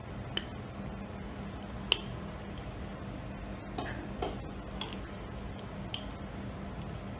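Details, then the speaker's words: Pneumatic cylinder without cushioning: the piston hits the end cap without slowing at stroke end, giving sharp, irregular metallic clacks over a low steady hum; this impact causes noise. "Dan juga kita boleh dengar bunyi hentaman tersebut lah. Bunyi ini boleh menyebabkan kebisingan."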